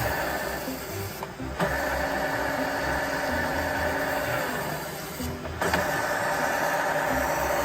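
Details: ZF 63IV marine gearbox from an early-2000s 36 ft Sea Ray Sundancer with twin 8.1 MerCruiser engines, after a nick on the intermediate drive gear edge was dressed with a Dremel: spins with an even whir and steady tone, no knock.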